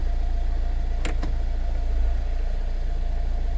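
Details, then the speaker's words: 2021 Mercedes Vito diesel van with no start and no ignition lights; dust blown out of ignition barrel (EIS) restored key communication, then low, even idle with a steady beat and no knocks or misses; running normally. "Put the key back in. We're now having ignition lights. And the vehicle starts."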